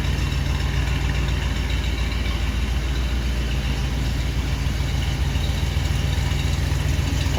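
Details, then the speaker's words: 1977 Ford Country Squire station wagon V8 after new dual exhaust, idling: deep, steady rumble, smooth and even with no puffing, ticking or rasp; runs healthy and quiet with no rattle anywhere. "There's not a rattle in it anywhere."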